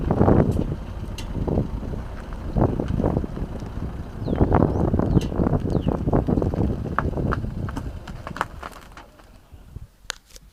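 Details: 2014 Citroën C4 Picasso: irregular metallic clunks and clicks when turning and straightening the steering wheel at low speed.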